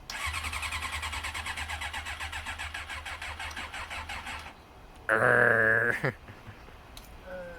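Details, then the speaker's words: Carbureted motorcycle that had sat outside at least a week, cold: starter spins engine in quick even chug about four seconds without firing; cranks but won't start, cold carburetor suspected, not confirmed. "Why won't it start though? Because it's cold. Carburetors don't like the cold."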